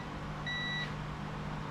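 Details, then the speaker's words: Copper King wire stripper that would not restart after being shut off: continuity tester beep cuts in and drops out over a motor hum, revealing bad contact on the off switch. "We got bad contact on the off switch."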